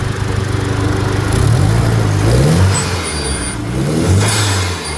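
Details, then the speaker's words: $3500 DSM with new timing belt, after bad ground found: engine revs cleanly and smoothly on each blip, no stumble; ground wires being repinned as the fix. "Revs like normal. I think we found the issue."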